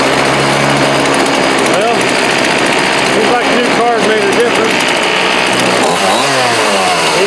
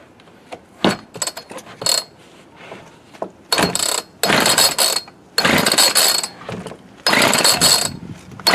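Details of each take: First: Homelite D3850B 18" chainsaw outdoors at about 19°F, after a new carburetor, fuel lines, fuel filter and spark plug: a high buzzing two-stroke picks up and drops back cleanly through throttle blips, with no stumbling. Normal running. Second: Homelite D3850B 18-inch chainsaw with a new carburetor, cold start at 19 degrees: repeated short rattling rope pulls that never catch; engine flooded, fuel running out of the carb, choke tried next.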